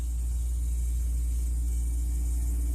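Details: Freezer on its second day after being plugged in, fridge not yet connected; constant low hum with no clicks, rattles or cycling; compressor running normally and the freezer top is already cold.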